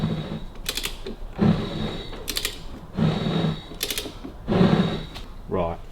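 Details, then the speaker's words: Hudson straight-eight engine, first seen and turned by hand: slow cranking with clattering turns about every second and a half, no puffs or resistance; no compression, suspected stuck piston rings, may need the heads off. "that's turning over, but it's got no compression, so I would say all the piston rings are stuck."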